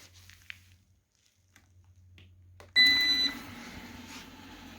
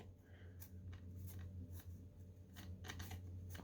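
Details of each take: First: Eufy 30C robot vacuum that spun in circles, running after being taken apart, reassembled and charged: a short chirp, then a quiet steady motor hum with light brushing and no clicking or grinding; now running normally, even on carpet. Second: Eufy 30C robot vacuum that spins in circles: dry, irregular snapping clicks, roughly three a second, as a drive wheel is turned by hand. A gear in the wheel drive has broken teeth.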